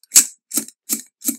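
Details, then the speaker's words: Rapco dry aircraft vacuum pump, turned by hand, heard at the outgoing outlet. Four even airy puffs, about three a second, give clean regular pulses; this is what it is supposed to sound like. "the outgoing a little bit difference down there and that's what it's supposed to sound like and this is the vacuum pump"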